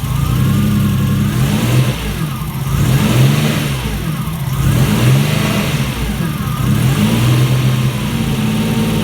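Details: Alfa Romeo GTV 2.0 V6 Turbo, first start after rebuild with AFM-to-MAF conversion, still needing fine tuning and aux belt re-tensioning: deep note surging and sagging every couple of seconds, hunting for idle; rough uneven running.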